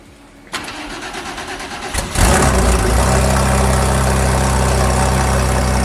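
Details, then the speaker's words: Porsche 964 flat-six turbo with billet heads: cranks, catches and idles with a light clatter and ticking from a pre-turbo exhaust manifold leak. The head contacts the manifold and one runner is too short, robbing spool and upsetting the air-fuel ratios. "So now you can hear the ticking. The ticking is a giant problem because that basically robs this car of horsepower."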